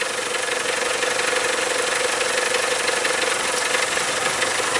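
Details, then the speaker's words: 2003 Mazda Protege, DOHC, hot idle: steady idle with an uneven, lumpy beat that smooths with a little throttle. Fuel trim is normal and the O2 sensor works; after a recent timing belt job the cam timing is suspected to be off a tooth. "Why is this thing running rough at idle? Only at idle."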